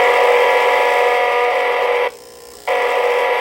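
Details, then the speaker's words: O gauge model train locomotive, likely without proto sound: on the track the horn sounds terrible, the bell won't ring, and it neither moves forward nor back; steady, high, raspy buzz from the electronics with one brief drop; electronic buzzing. "The bell doesn't ring when I hit the track. It just makes this buzzing sound."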